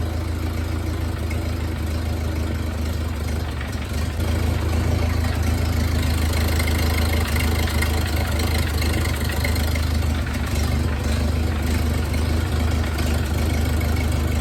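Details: 1931 Ford Model A four-cylinder, long stored in a barn, idling after points set; low lumpy uneven loping idle; rough idle, owner thinks timing needs advancing; bubbles also seen blowing past a spark plug.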